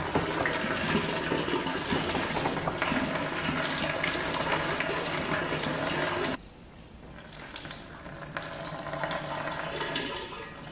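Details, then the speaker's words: Flooded 2018 Audi RS3 engine, not running, during teardown: a long steady gush of roughly 25–30 litres of floodwater pours from the intake system, then trickles after a pause; intake full of water. "oh no I stand corrected there's definitely water in here oh God another 25 30 l oh God that's when it's come out"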